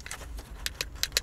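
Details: 1989 Volvo 740 door handle pulled and released: crisp, clean clicks and light metallic snaps with no rattle or loose knock; works properly, unlike a new replacement handle that sticks and has play at the pin.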